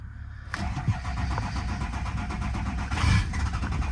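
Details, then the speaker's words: Ford-serviced truck at salvage auction, about 184,000 miles, cranked: catches roughly, runs lumpy with a sharp pop about three seconds in, sounding like a backfire; cause unconfirmed. "oo that didn't sound too good sound like it backfired actually"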